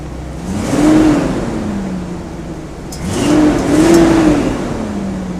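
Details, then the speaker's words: 1975 GMC motorhome V8 after installing headers: two clean rev blips rise and fall smoothly, with no ticking or puffing from the exhaust side; the earlier little noise is gone and it starts easily. "can't hear that that noise anymore that little hoody sound how easily the startup is"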